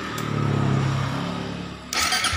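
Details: Suzuki GSX fuel-injected motorcycle that would not start, weak starter relay ground signal from ECU, bridged with a jumper wire to the body: starter spins up with falling whine for over a second, engine catches and runs; starter motor cranking normally.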